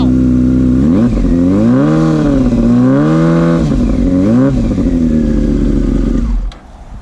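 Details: Yamaha R6 after a cold start, following a charging fault fixed by repairing a ground wire, now charging about 13.8–14.1 V: clean, even revving that rises and falls smoothly with throttle and settles steadily. Healthy engine.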